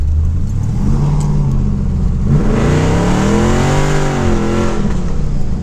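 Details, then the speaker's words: LS-swapped third-gen, not yet dyno tuned, idle about 900; revs climb high under throttle and hang, first and second fine but no further upshift; owner suspects TV cable then governor gear, not confirmed. "But yeah, it doesn't seem like it wanted to shift up to me. Like first, second, no problem."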